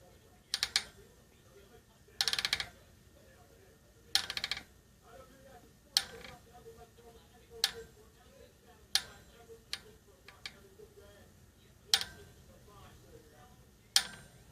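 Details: Novatec D202SB bicycle rear hub turned by hand: sharp irregular creaks and clicks every second or two with rough feel; bearing suspected, not confirmed.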